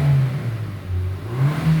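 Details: Hyundai Sonata DN8 (The Edge) brought in for feeling like it won't accelerate, with no warning lights and no fault codes: smooth, even engine note rising and falling under light acceleration, road rumble underneath, no knocks or clatter. Acceleration sounds normal.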